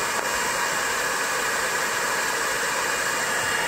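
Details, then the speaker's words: 20 W diode laser engraver module, stock top-mounted fan running continuously, phone at measured distance, before modification. Harsh, steady rushing hiss with piercing high whistle: loud fan noise. "this one just happens to be a longer 20 WT laser and the fan is continuously on so when you turn it on you get this noise"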